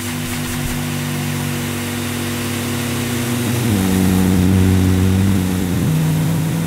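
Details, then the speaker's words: 1987 Electrolux Elite Super Electronic vacuum cleaner started at 1000 watts: low rough growl shifting pitch as the motor settles, drone not clean; owner suspects motor fault. "it's some sort of growling noise oh i thought oh crikey what's that noise"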